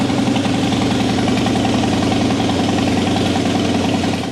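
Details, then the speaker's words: 2003 Harley-Davidson Softail Deuce Twin Cam, 400 miles, previously a crank-no-start; after repair with fuel pressure about 55-60 PSI, in neutral: fires straight up, steady even loping idle, no misses, shuts off cleanly; normal idle. "Pretty easy diagnosis, pretty easy fix, and we got it running again."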